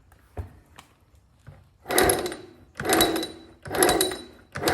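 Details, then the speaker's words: Cheap old moped being kicked over, previously stuck: each kick gives a harsh, gritty churning burst about once a second; owner suspects a bad bearing, possibly transmission side, not confirmed. "Ooh, coming close. Listen to that. Yeah, we definitely got a bad bearing somewhere."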